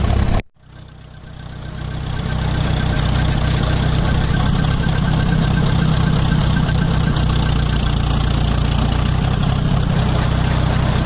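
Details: 1966 806 Diesel tractor before chopping corn with a Gehl one-row chopper: low, lumpy idle of about four uneven pulses per second; rough idle that evens out once loaded and working.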